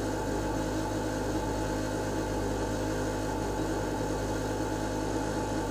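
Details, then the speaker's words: Lennox Pulse21 furnace (installed 1993) after repaired control board: draft inducer fan runs with even steady hum, no rattles or surging, purging before blower starts; green light steady, normal operation. "I hear clicking I hear a motor the exhaust fan or something kick in on light is still steady green so that's good"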